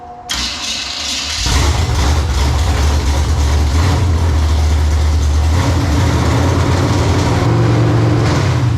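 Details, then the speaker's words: 1980 Olds Cutlass G-body with a swapped hot small-block V8, fired up for the first 10 minutes of break-in. The earlier starting issue was likely an out-of-round new flex plate, replaced with a stock one. It cranks briefly, then settles into a deep, steady, even rumble. "Let's fire it up and hopefully get through the first 10 minutes of breaking this motor in."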